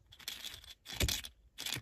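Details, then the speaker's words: 2007 Lexus GS350 dash speaker, removed from dash: three short buzzy rattling bursts as it plays; something loose inside the speaker. "something came loose I was I was listening to something really loud now it's it socketed itself back into place but something's loose in there"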